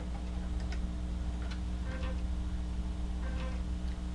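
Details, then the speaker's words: Amiga floppy drive reading an old bad disk: quiet motor hum with repeated dry clicks and ticking bursts as the head steps back, error reports disk unreadable; owner notes dirty drives often cause this. Read error retries. "err validating disk disk is unreadable that's the sound I was looking for"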